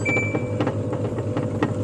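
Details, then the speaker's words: Samsung 11 kg washing machine that powers on but won't start: the drum turns with a steady motor hum and soft swishes as soon as power is pressed, which it normally shouldn't; the control board's motor triac has shorted. "ผมสิกดปุ่มพาวนะครับผมสังเกตครับปุ๊บนะครับหมุนเลยนะครับกดกดปุ่มpowerนี่หมุนเลยนะครับ"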